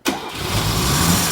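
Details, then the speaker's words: Mercedes W113 280SL Pagoda after repair of a grinding starter motor (ring gear or starter clutch suspected), in the shop with no exhaust fitted: brief clean cranking whir with no grinding, then the engine catches and idles steadily; starter now sounds good. "wow well we won't let it run here in the shop because we're not hooked up the exhaust system but uh that starter sounds really good"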